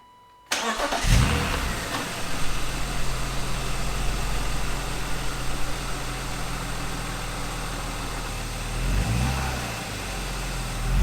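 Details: 1999 BMW E36 M3 on a lift, revived after years sitting, new fuel pump, started after oil change to check level: quick crank, fires at once, settles into steady even idle with a brief rev rise; healthy, about half quart low afterward.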